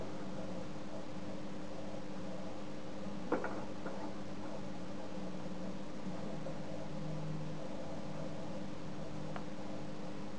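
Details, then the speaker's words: Homemade Geiger counter powered at 15 volts: only a few sharp irregular pops seconds apart over a steady low hum; counting sporadically and erratically, cause unconfirmed. "You hear that? Infrequent popping. This is very temperamental."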